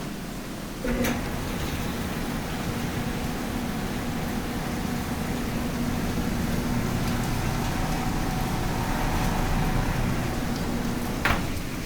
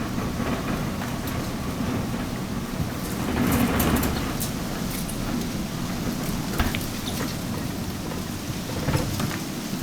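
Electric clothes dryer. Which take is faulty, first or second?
second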